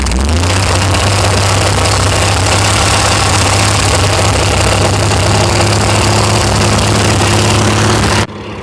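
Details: VH Valiant Ranger with a newly swapped 245 Hemi six, first start with the coil powered directly. Loud, quick ticking at about four per second sits over a steady idle. Hydraulic lifters are tapping on first run.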